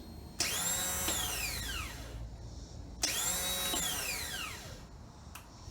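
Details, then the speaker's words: 2013 Triumph T100 Bonneville, about 18,000 miles: two high whirs that spin up and wind down freely with no engine turning over; the starter motor spins but isn't cranking the engine. Cause suspected, not confirmed. "i hope you were able to hear this looks like the starter motor is spinning but it's not cranking the engine"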